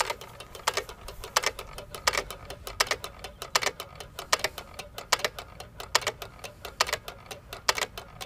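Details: Hit-and-miss engine (1½hp T. Eaton or 4hp Nelson Brothers) freewheeling, no governor springs, slowest throttle: sharp dry clicks about eighty a minute with fainter ticks between, the cam tripping the exhaust latch arm each cycle; normal coasting.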